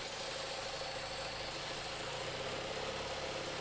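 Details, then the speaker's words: Cheap used car locked in third gear, idling on stale fuel: uneven idle beat under a steady airy hiss and faint whistle; rough idle, suspected vacuum leaks from the intake or gaskets, later heard as a large vacuum leak. "Couple things to note. Number one, it does have a rough idle. So, it could be coming from a couple vacuum leaks for sure. Sounds like it's coming from the intake. Could be gaskets."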